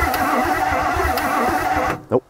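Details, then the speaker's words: 1959 Edsel Corsair Ford V8, parked over 40 years, cranks at an even, labouring rhythm but never catches; the spark plug test shows no spark reaching the plug. "Getting no sparky. No sparky, sparkerson."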